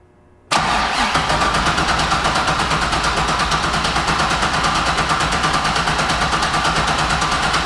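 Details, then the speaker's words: Turbo LS6-swapped Volvo wagon with Holley Terminator X ECU, first start attempt: starter cranks steadily but never fires; owner suspects ECU isn't sensing engine rotation so no ignition is triggered. Cause suspected, not confirmed. "what i'm assuming is for some reason it's not sensing that the engine is turning over and thus not turning on any ignition or anything like that"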